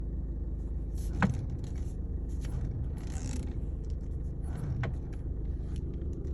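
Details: VW Passat B6 driving: low road rumble with a couple of isolated dull thuds a few seconds apart over bumps; knocking from the steering rack.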